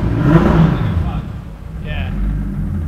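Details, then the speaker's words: 2JZ-GTE turbo-swapped Mercedes SL500 with a 6-speed manual, after new plugs, reassembled coils and cleaned injectors (two injectors previously not firing): a deep, even note that settles after a blip, now running on all six cylinders. "Maybe slow down yeah it does it does that sounds like six right yeah that's better"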